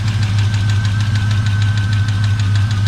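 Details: 1984 Chevy truck revived after sitting 2 years, radiator cap off: deep steady idle rumble with a light, fairly regular tick about three times a second. The source of the tick is unknown.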